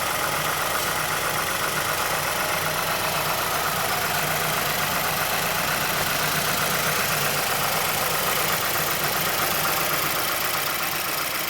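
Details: 2006 Mazdaspeed6 idling a minute after a cold start, under Special Service Program 87. A more pronounced click of roughly two per second comes from the timing chain area. A VVT or timing chain fault is suspected but not confirmed.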